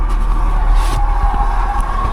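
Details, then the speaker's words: Vauxhall Corsa at auction, engine running: a deep rumble with a constant mid-pitched whine on top, judged not timing-chain noise; suspected to be the water pump, and the car is found very low on coolant. "Wasn't the chain that noise, that is the water pump by the sounds of it."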